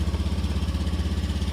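Small single-cylinder engine putters at an even idle, pulses steady at about fifteen a second with no misses; running normally.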